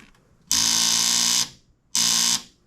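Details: Kawasaki KFX450R ATV, after tightening the battery connections (7 V while cranking) and hooking up a jump pack: two short, harsh electrical buzzes at each starter press with no cranking.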